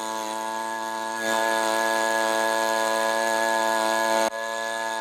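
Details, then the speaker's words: Echo PB-265L backpack two-stroke leaf blower after carburetor rebuild and fuel line repair; steady high-pitched scream at full throttle then drops off abruptly, no idle, only runs at full throttle; idle screw already turned all the way, may need new carburetor. "All right. So, there's no idle. She'll only run on full throttle."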